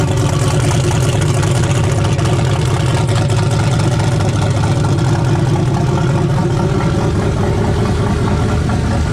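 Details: Turbo LS V8 mega truck on E85, first start of the season after sitting over winter, older build: deep steady idle with an even lumpy pulse, no knocks, ticks or misses; runs fine.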